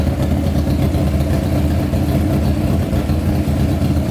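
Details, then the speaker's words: Honda CBR600 engine swapped into a go-kart, after coolant check and carburetor work, fuel pump not working; idle somewhat high, possibly adjusted too high; even, throaty idle with smooth firing rhythm, no knocking or rattles: normal idle. "um wow that sounds amazing geez that is going to fly"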